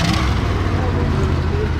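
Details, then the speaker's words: 1963 Ford Fairlane 500 with 260 V8, first start in about 14 years: low idle with an uneven, lumpy beat where some firing pulses drop out; missing on a cylinder, not smoking; suspected plug wire or valve, carburetor sticking a little. "But I would say the old engine in this old rig's running all right. She sounds good, not smoking. It's missing on, it's got a miss."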